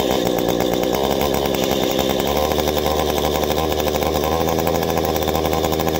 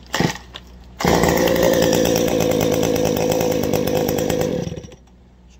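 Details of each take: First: Warmed-up two-stroke chainsaw having its carburetor adjusted by ear: a steady buzz lifts and holds higher as the screw reaches the sweet spot, revs staying up cleanly, showing the mixture is correctly adjusted. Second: Two-stroke chainsaw just after carburetor adjustment, started without touching throttle or choke: catches on the first pull and settles into a steady, even buzz with no bogging, idling by itself, a normal clean start and idle.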